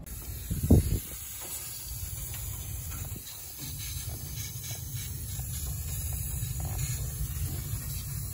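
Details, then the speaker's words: Rheem Classic R-410A outdoor condenser, about 17–18 years old, no-cooling call: constant thin hiss above the unit's low hum from a capillary tube rubbed through against the box and wire, which also shorted the compressor; refrigerant leak. "Where the hell is this leak? I can hear it. Got to be one of the capillary tubes right there."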